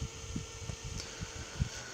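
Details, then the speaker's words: Replacement 24 V fan salvaged from an old Cisco DC power supply, fitted to a Jetstream JT Mini 15 12 V 15 A power supply (original fan made a horrid noise), running on 12 V: steady even hum, good airflow, no rattle; normal. "so you see it's running on 12 volts right now it's putting on a good amount of air so I think that'll be enough"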